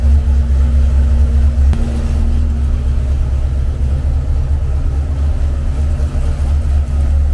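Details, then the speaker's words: Freshly built Mopar 383 V8 for a '68 Dodge D200 on the dyno, timing at 34 degrees, before a rev to 5,000 RPM: deep, even rumble holding steady, no knocks or ticks; running healthy. "Sounds good. Let's see what it does when we rev it at 5,000 RPM."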